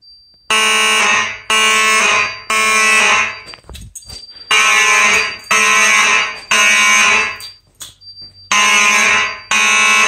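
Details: Simplex 4004 panel with Simplex 4903-9105/9101 horns set to code three: loud horn blasts in threes about a second apart, pause, repeating; normal temporal code 3 alarm signal.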